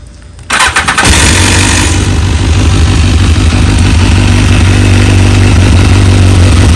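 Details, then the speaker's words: BMW S1000RR at about 26k miles with decibel-killer exhaust insert, original owner, regular oil changes: brief starter whir, then a clean catch and deep, steady, even idle with no knocks or misses; bike runs great. "bike runs great"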